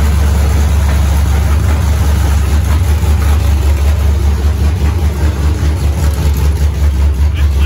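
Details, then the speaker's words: Freshly built 5.3 LS V8, first start on open headers with an aftermarket 90mm throttle body and a larger camshaft: loud idle hunting and surging about once a second. TPS reading drops from 12 to 0.5, IAC position 170–200, likely needs 60–70. "well it's going from 12 only to like three and then drop down to like 0.5 and i'm noticing that the ic position i think has to be a lot lower because it's up like 170 200"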